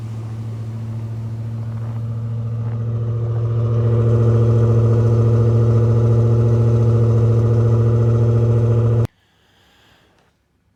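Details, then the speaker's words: Old Jeep, cold start in about 20°F weather after priming and adding a couple gallons of fuel (gas gauge doesn't work): cold engine settles into a smooth, even idle with steady low hum, no knocks or misses, then shuts off; sounds healthy. "you hear the engine sounds good though it's cold today too it's about 20°"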